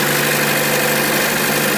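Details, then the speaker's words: 2014 Chevy Cruze Ecotec after crank-no-start repair, cleaning the seven-pin coil pack plug that gave intermittent 12 V: smooth, even idle, steady hum, no misses or knocks; the plug, not the coil pack, was the fault. "that seems to be what it was now we know what the issue is it's not the coil pack a lot of people replace the coil pack but it winds up just being that little seven pin plug"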